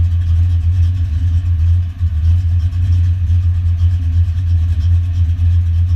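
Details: Foxbody Mustang notchback on Holley Terminator X EFI and custom wiring, idle screw and fuel tables adjusted, warming up: steady even low rumble, no misses, knocks or hunting; settled normal idle.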